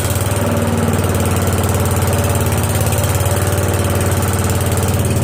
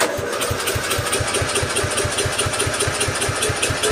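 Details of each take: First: Newly swapped-in 12.5 hp flathead mower engine (replacing a 15 hp OHV), started after more oil, spark tester fitted, choke and throttle on: steady, even low thumping, running cleanly; good spark, good pressure. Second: Mower engine swap, replacing a 15 hp OHV with a 12.5 hp flathead, first start try with choke on and no starting fluid: the starter cranks in even compression beats but it never fires; getting fuel, owner suspects no spark.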